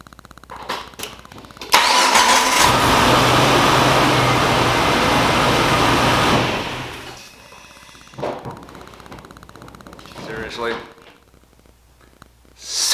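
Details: Jeep TJ with new starter that only clicked, battery good, after battery ground and terminals were reconnected: starter spins the engine briefly, it catches cleanly and runs evenly; starting circuit now working. Normal cranking and start.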